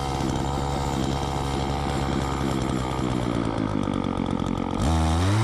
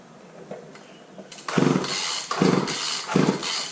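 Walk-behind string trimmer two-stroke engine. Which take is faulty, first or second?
second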